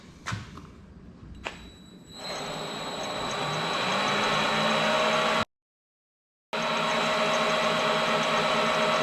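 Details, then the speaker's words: Vevor mini lathe after replacing a busted pulley bearing that caused grinding, clunking and wobble: motor spins up and settles into a smooth, steady whir with clean tones, no clicking or wobble; fixed. "so as you've seen that took care of the problem thankfully it was an easy fix"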